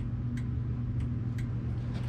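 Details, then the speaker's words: Ford Maverick (LS turbo swap build) at idle, left turn signal on: crisp flasher relay clicks about every half second over a low idle hum; left side flashes, but nothing shows on the dash and the right side barely works. "You can hear when I click on the left directional, I can hear relay click"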